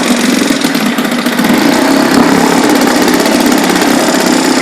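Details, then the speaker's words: 1976 Ted Williams Sears ESKA Gamefisher 7.5 hp air-cooled Tecumseh two-stroke outboard, carb and fuel lines redone, running in drive in a water-filled garbage can: busy buzz holds steady and even under load, no misses or knocks; runs fine. "it really moves I don't want to be moving that much water but'll sit here and idle"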